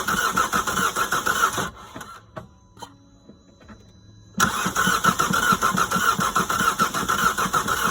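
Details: Opel Astra H with Z17DTH diesel: two bursts of even cranking with a pause between, turning over but never catching; cranks but no start, starter suspected but not confirmed.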